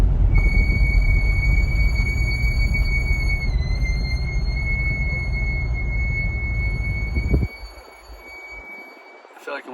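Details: Brand-new C8 Corvette with 3,800 miles, recorded with the windows down: a steady high-pitched squeal holds over road rumble, dips slightly in pitch, then stops as the car slows. Chevrolet calls this brake squeal normal for high-performance brakes.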